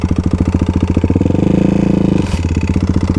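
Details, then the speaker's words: Modified Kawasaki KLX351 single-cylinder after hard riding on snow and ice, did not lock up: a hard heavy rap on every beat at idle, loud through a throttle blip; engine knock, owner thinks not bottom end, suspects a failed cam chain tensioner. "Oh. That sounds awful. Well, guys, this could very well be the end of the KLX. I really can't tell what that is. It doesn't sound like it's bottom end."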